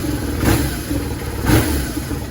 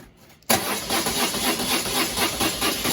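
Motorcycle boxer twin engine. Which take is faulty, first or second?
second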